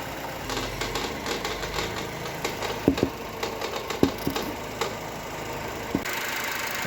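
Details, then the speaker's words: Chevrolet Cobalt 1.5 B15D2 engine idling with irregular sharp knocks and constant crackle from a failed, dirt-clogged belt tensioner pulley assembly (oil leak drew dirt); fixed by replacing belts and two pulleys. "короче, слышали, да? Такой треск стоит, вообще невозможно."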